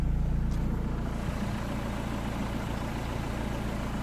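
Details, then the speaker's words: 2006 Renault Modus 1.5 dCi with an intermittent no-start, immobilizer light and no ECU communication, now started with a battery charger connected: steady low diesel rumble with an even beat and no knocks; normal idle. "But I've started the engine. Engine is running, as you can see."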